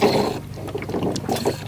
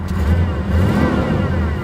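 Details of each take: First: 1987 Chevrolet Monte Carlo SS parked 20+ years, warm not overheating: irregular bubbling and gurgling over low engine hum, sucking air as the leaking radiator cap pushes coolant out. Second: 1987 Chevrolet Monte Carlo SS V8, one-owner car parked 20-25 years, likely stock exhaust with factory catalytic converter; deep, even rumble rising and falling smoothly with throttle, no knocks or misses; engine sounds healthy.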